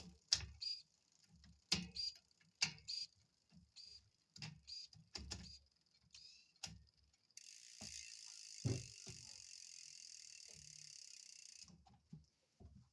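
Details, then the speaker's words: L-Twoo Ae wireless-to-cable rear shifter on a 9-speed cassette, running through the gears: a run of short, loud servo whirs and clicks, one per gear change, each landing cleanly; the servo shift is loud, but shifting works properly. "So those sound sensitive to the servo. Well, you're probably not going to like it. It's not like the i2. I don't even think the SRAM has that loud of a shift either."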